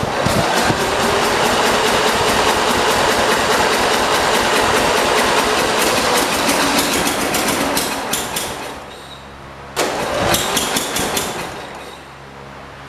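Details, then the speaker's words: Cub Cadet 482 garden tractor bought from the original owner's son: fast regular chugging about three beats a second that fades, catches briefly and dies; fires but won't keep running; owner suspects carburetor needs cleaning or adjustment and plans to clean the spark plug. "i think it needs carburetor cleaning or adjustment right let's try to give us some more let's put some more gas in it we had it almost run it wanted to take off"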